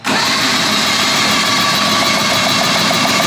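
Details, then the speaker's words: 1974 Daihatsu S38 mini truck, two-cylinder, cranking during compression test: uneven lopsided rhythm, one cylinder about 75 PSI, other zero compression; engine to be dropped and opened. "here's what's going on we have some compression in this cylinder no compression in this cylinder so I think we're just going to drop the engine dig in see what we find"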